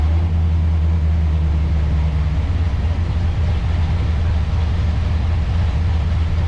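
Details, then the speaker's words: C4 Corvette V8 on Holley Terminator X, cold start: the Holley O2 sensor reads about 13.8 AFR with huge positive closed-loop corrections while the dyno meter shows 10.2, so it runs very rich and rough; faulty sensor and grounds later fixed. "The Holley sensor, O2 sensor, is reading like 13.8, and the closed loop corrections are just like 1,000,000% positive, and the dyno air fuel meter is reading like 10.2, and you can hear it's running like shit."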